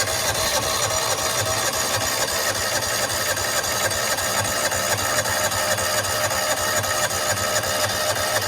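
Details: John Deere Gator 4x2, unrun for years, after a spare fuel pump was fitted: even starter churning about four turns a second, never catching; fuel seen but flow weak, no pulse felt from the vacuum line; fuel starvation.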